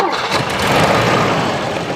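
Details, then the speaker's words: 1984 Volvo 240 parked since about 2012, cranking on bad fuel after plugging in the unplugged ignition: catches immediately and settles into a steady, even idle with no misses or knocks; sounds healthy. "oh my goodness I cannot freaking believe that that that is crazy it freaking started wow that is unbelievable"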